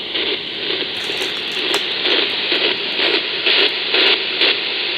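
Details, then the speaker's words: EcoFlow River 2 Pro power station with its inverter on, heard on an amateur radio receiver: hissy static pulsing about twice a second, even with the powered speakers off. The noise stops when the inverter is killed, indicating inverter RFI; heat is possibly a factor. "I heard the noise even with the front speakers even with the powered speakers off but as soon as I kill the inverter the noise goes away again"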